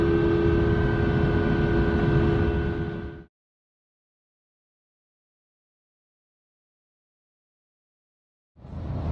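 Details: 2005 Ford F-150 while driving, 9.75-inch ring gear, 3.73 ratio: steady high whine over road noise holding its pitch, then cutting out; worn rear differential, later rebuilt.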